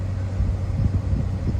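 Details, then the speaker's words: 2017 Dodge Charger ex-police car, Hemi V8, 160,000 miles, at idle after startup: steady low rumble with no ticking on top; no Hemi lifter tick heard, sounds healthy. "we're gonna have to start this up and see if it has the dreaded Hemi tick in it. So let's fire it up. Okay, here we go. Does it make the noise? I don't hear it. I do not hear it."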